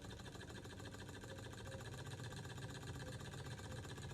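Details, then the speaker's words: Small Stirling engine restored with a spare glass cylinder after a year broken; soft, quiet, evenly repeating chuff a few times per second, no knocks, speed varying slightly with the uneven burner; running smoothly. "so guys the engine as you can see is going perfectly now"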